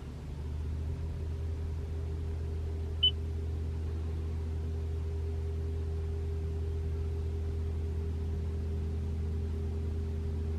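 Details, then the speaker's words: 2021 Toyota RAV4 Prime SE in EV mode at 3 a.m., 42°F outside, heater on right after start, fan up to three bars: low steady heat pump hum with faint higher drone, no infamous loud noise; normal. "no it won't make noise anymore man this is the heat pump humming that's normal"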